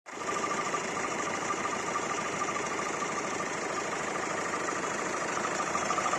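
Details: Hyundai i40 1.7 CRDi diesel idling steadily with a strange noise: a faint, loosely regular ticking over a thin whistle; the source is unclear.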